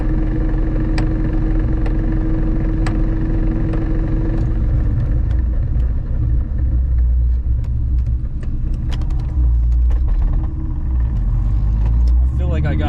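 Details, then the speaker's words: Ford Mustang SVT Cobra (supercharged) after new tires and an alignment at a tire shop, driving: a metallic knock about once a second over a low rumble, slight in first gear and loud in second. Manual transmission knock, likely internal gearbox damage. "I can hear it in first just a little bit. When I push it into second, it's loud as Yeah, I hear it. What the >> dude? It's banging. It's like a metal knock."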